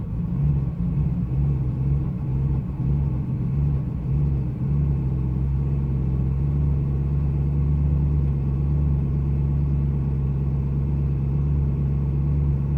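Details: 2012 BMW M3 E92 V8 at idle: a deep, steady rumble with an uneven, loping pulse that never settles. Rough idle.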